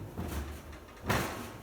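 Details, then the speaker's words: GE XL44 stove oven door after silicone spray lubricant applied to hinges and door refitted: two soft dull thumps as door swings and closes, no squeal or creak; hinges now quiet. "Put it right back on. No more squeak."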